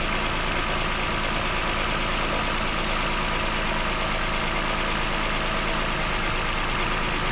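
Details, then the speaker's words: 2009 Toyota Highlander, 276,480 miles, steady even idle with smooth beat, no skipping or stumbling; cylinder 2 misfire had been logged, and swapping the coils between cylinders 2 and 4 cleared it. "This is the highest mileage vehicle I've ever owned. Actually runs pretty smooth, quiet. Partly why I bought it."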